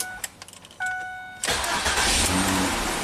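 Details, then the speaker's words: 2006 Ford Freestyle AWD after cleaning ignition switch contacts to fix a no-crank: brief starter whirr, engine catches cleanly and runs steadily with no hesitation; new ignition switch recommended if it recurs. "Well, clean the contacts, put it back together, and it starts and runs."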